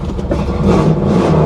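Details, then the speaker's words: 1994 Pontiac Firebird Trans Am, just after adding 5 gallons of gas to an empty tank: engine catches after a few turns and rises into clean, even revs with a smooth note, sounding healthy. "It was out of gas. It was just out of gas. Listen to it purr. Oh, that's beautiful. That is beautiful."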